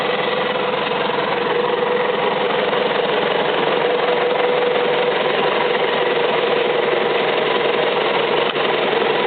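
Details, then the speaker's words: Isuzu 4BD1-T turbo diesel, first start after rebuild, before fitting to a Land Cruiser FJ60, no cooling water hooked up: steady even diesel clatter with no misses, knocks or surges; clean healthy idle. "all right don't want to run her too long cuz I don't have it hooked up to water but uh seems to be running like a champ"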